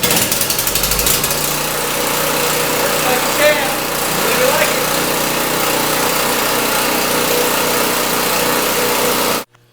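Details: UST generator after tune-up (oil change with SAE 10-30, new spark plug, air intake and throttle body service, cleaned air filter); steady high-pitched drone holding even speed nine seconds without surging or missing, then cutting off cleanly; runs well.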